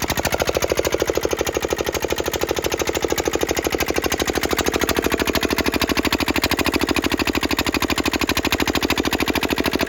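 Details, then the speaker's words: Petter AA1 single-cylinder diesel water pump, cold after sitting a week, started after priming: even, steady chuffing beat of about three firings a second with no misses, injector pump clinking; runs healthily. "e and there you have it like I say I didn't didn't reckon it would take a lot to get going these soon as that pinking noise or chinking noise that you can hear from the injector pump is working tends to be a good ident I uh identification indicator that's the word indicator that it will run"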